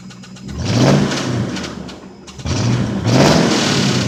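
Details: 1995 Lincoln Town Car V8 with 326k miles, quick throttle blips: a dull low knock under the revs that follows engine speed, a rod knock on cylinder 3; the engine is due to be replaced.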